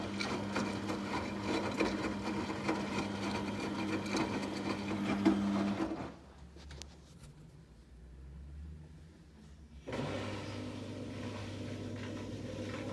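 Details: 14-year-old Samsung washer spinning at about 1000 RPM with a super unbalanced load: high-pitched squeak over a quick regular thump, easing as the drum slows; owner suspects bearings, not confirmed.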